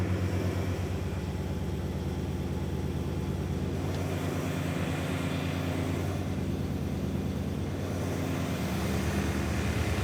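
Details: BMW E39 M5 S62 V8 track car, fired up just after an oil change that drained milky oil; a smooth, even idle with a steady low burble and no knocks, ticks or shake, sounding healthy.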